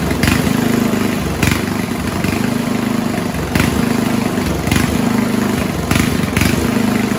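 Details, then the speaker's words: 1970s Roper 1032 snowblower, likely 10 hp Tecumseh-style engine: idle surges and sags about once a second in a steady cycle. Hunting persisted after fitting fixed-jet non-adjustable bowl; slightly richer idle-circuit mixture cured it. "It was still hunting a bit, but I just made the mix a tad richer from the on the idle circuit, and that got rid of the hunting."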